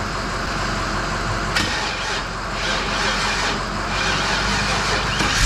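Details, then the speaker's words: 1951 Chevy pickup V8 starting after new injectors (old ones likely all stuck open, flooding fuel) and new Denso O2 sensors, plugs cleaned, fresh gas: catches and settles into steady even run, no misses, pops or knocks; normal. "so we are running nice i'm probably yelling but i'm very excited"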